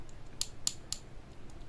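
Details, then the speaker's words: Stereo amplifier with newly installed speaker protector: at power on or off only a few crisp, quiet relay clicks about a quarter second apart, no thump heard in the speaker; protector switching normally. "Setelah kita pakai ini, nah ini hanya ini yang bunyi ya teman-teman ya, bunyi"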